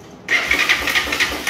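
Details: Honda 300EX single-cylinder ATV with suspect aftermarket wiring harness, cranked on a spare battery: starter spins at about four even compression pulses a second but never fires, no spark at plug; cranks but no start.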